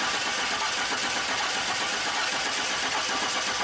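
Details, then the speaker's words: 2002 Chevy Silverado 4.3 L, died while driving across a field, now cranks without starting: steady starter cranking for about four seconds with no firing; no spark out of the distributor cap tower, problem in the distributor. "as you can see there's no spark coming out of the tower so as you guys saw there's no spark coming out of this tower so our problem is in this distributor"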